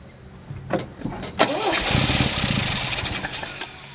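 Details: Old vehicle with clutch in, after hitting the fuel pump with a hammer to get fuel to the filter: a few clicks, then ragged cranking about three beats a second that stumbles but won't run; choke not found.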